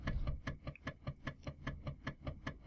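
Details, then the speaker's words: Floppy drive driven by an Arduino on a power supply, microphone moved close: crisp, evenly spaced ticks about four per second as the head stepper steps normally. "turn the power supply on and maybe you can hear that i'll move the microphone a bit closer yep it seems to be working so uh"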